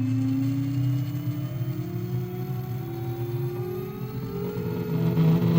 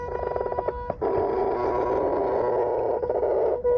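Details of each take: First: Superflux HT high-torque motor spinning free on a table, with SKF bearings: a smooth electric whine climbs steadily in pitch with no grinding, plus a little table vibration. The bearings are smooth. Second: GT motor climbing a pump track slowly from a standstill at nearly full charge: a steady buzz as the motor strains. It can't take it.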